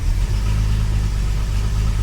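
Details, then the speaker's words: Classic car "Roy" with newer Weber carburettor refitted, totally cold start after sitting since the previous day: deep, steady, even idle with no misses, knocks or hunting; engine sounds healthy. "That wasn't a setup. That absolutely was not a setup. I have not started this car. That hasn't run since yesterday. This is a so much better engine."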